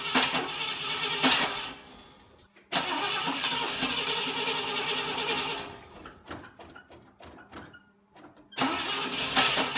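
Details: 1960 Pontiac Ventura barn find, after rebuilding the Tri-Power carburetors and backing the dwell off half a turn, timing reset: bursts of cranking with pauses, never catching. Still refuses to run; electrical or timing issues suspected.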